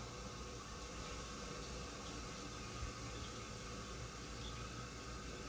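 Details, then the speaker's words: Toilet fill valve after flushing: water keeps hissing steadily into the tank and never tapers off or shuts off, running on past the usual roughly gallon-and-a-half fill; fill valve to be replaced. "But it just keeps going. Right? And so the bad thing with that is obviously it can keep on going and then that can make our water bills very, very high."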